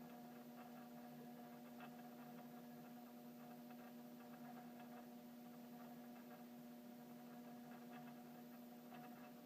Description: Apparently, the 'front' pin/striker/hammer in this downstairs chime is really vibrating and causing the humming/buzzing sound.